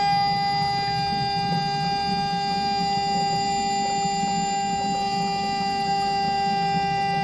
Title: Weird noise flush valve